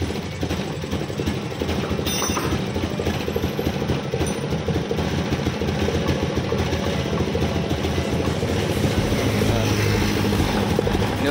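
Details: Honda Scoopy 2021–2024 scooter that sputters and won't ride, still unchanged after ECU reset, fuel pump pressure 40; injector to be checked next, TPS thought unlikely: ragged, uneven popping and stumbling misfire under throttle.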